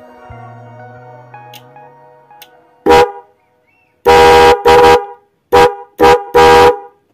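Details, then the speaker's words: Denso Power Tune Hi-Lo 110 dB horn wired through an MX relay with a 20 A fuse; loud, clear two-tone blasts, one long and several short, full and steady; normal horn sound. "Oke, ini suara yang menggunakan relay. Sangat kencang sekali guys ya."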